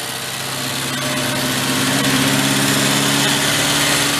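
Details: 1969 Benelli Buzzer mini bike two-stroke, a formerly seized engine now revived, idle screw turned down: a light buzzy idle holding a steady pitch with no misses or surging, settled and normal.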